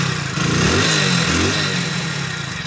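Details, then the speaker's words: Hero HF Deluxe BS6 motorcycle after cleaning heavy carbon from the throttle body that had caused stalling and poor pickup: single-cylinder engine picks up cleanly on a quick throttle blip and settles back smoothly; normal revving, pickup fine. "এখন দেখো pick up দেখো testing করে নাও, pick up ঠিক আছে"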